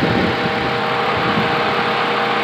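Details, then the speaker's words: 2005 Mazda MPV with new fan control module that gets scorching hot and shuts off, 80% duty cycle: steady loud electric fan whoosh over quiet idle as fan comes back on after cutting out; owner suspects faulty module, relay or PCM. "not sure now if they have a safety mechanism exactly right now it's passive no more noise offenders off we see 80 percent duty cycle but the fan is off now I was coming back on you can hear it"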